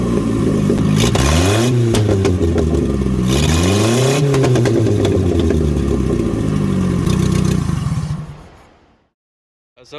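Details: Datsun 521 with Toyota 2TC engine and new Weber carburetor, warmed up, no exhaust fitted: loud open bark as revs blip up cleanly and drop back; crisp even revs, nothing wrong.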